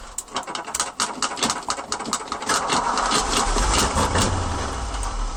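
The starter cranks with an uneven chuff for about two and a half seconds before the engine catches and steadies, a slow hot start.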